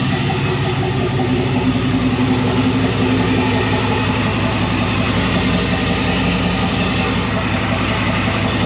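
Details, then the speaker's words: 1999 Silverado 1500 turbo 4.8L (235k miles, 862 heads, Stage 1 cam, 4L80e) on first speed-density base tune, first start: deep, steady V8 burble with even, slightly lumpy beat at idle; runs clean and settled. "This is just the base tune. It's the first speed density tune, so it still needs a little work, but it's actually very dialed for what it is."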